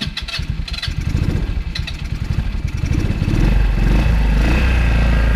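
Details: Go-kart that cranked but wouldn't start, after carburetor cleaning: quick pulsing crank, then the small petrol engine catches and holds a steady buzzing run that picks up slightly. Normal start and run.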